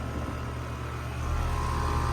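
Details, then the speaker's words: 2007 Bryant Base Series 2-ton R22 air conditioner with Copeland scroll compressor running: smooth, steady low hum with constant mid tone and fan rush, no rattles or knocks; normal operation. "It's got a really nice compressor sound. Yep, it's got a regular Copeland scroll."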